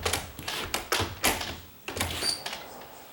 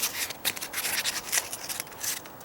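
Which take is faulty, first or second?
second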